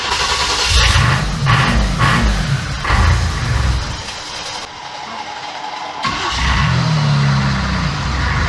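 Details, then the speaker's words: Corvette with diesel engine after injection timing was reset to the factory marks; one injector still leaking: catches quickly, few uneven revs, then steady low rumble, much less smoke; normal diesel idle. "yeah that started really easy yeah dude this smoke way less too way less"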